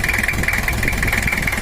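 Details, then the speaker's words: Toyota Kijang LGX diesel, 2L engine, just reassembled after repair with injection pump timing set; hard, dry clatter at idle, too harsh, injection and valves still to be adjusted after running-in. "suaranya itu masih terlalu kering ya Lur nek besok kita Setel lagi biar lebih haluskan"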